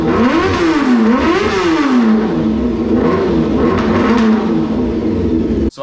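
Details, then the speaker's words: 1995 Honda CBR600F3 during restoration, running on an external fuel tank and external battery after fitting spark plugs and a new ignition coil: revs surge and sag unevenly, hunting instead of holding steady; cause unclear, owner suspects carburetor. "Okay, after a little tweaking around, it's still acting a little funky. I'm having a hard time understanding of what exactly is happening."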